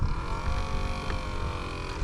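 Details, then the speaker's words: 10–12-year-old Aquacraft Mini Gator Tours RC airboat in water at maximum forward thrust on an old battery: steady mid-pitched fan hum, sagging tone, no rise; battery dying, needs replacing. "there's no reverse only forward and it's already dying that's why I want to do this in this little pool that is maximum thrust"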